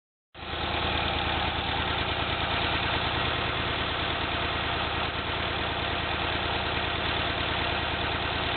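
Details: 1991 Honda Accord starting and settling into an uneven, lumpy idle with irregular stumbles; owner suspects ignition or a bad tank of gas filled a day earlier, unconfirmed; rough idle.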